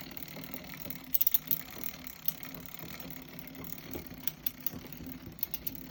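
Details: New Shimano XT M8000 bicycle drivetrain spinning quietly with sharp, irregular clicks and knocks in short clusters. The knocking source is not pinned down.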